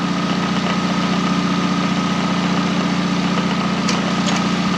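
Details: K11 Nissan Micra Super Turbo, car raised, engine running while alternator output is tested: steady, even idle with smooth low hum and faint constant whine; alternator gives about 14 V, charging normally.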